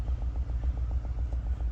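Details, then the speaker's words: 2020 Nissan Altima idling in gear with engine misfire, code P10C3 fuel injector: low idle rumble with uneven pulsing beat, about seven pulses a second, apparently one cylinder misfiring. "السياره هي فيها مشكله عم تقطع السياره"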